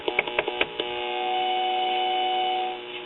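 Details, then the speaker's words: Crosley Cruiser record player: steady low buzzing hum with a few clicks, feedback because the metal tone arm tube is not grounded; hum from ungrounded tone arm. "there's our feedback and i've already checked and this metal tone arm tube is not grounded like it should be"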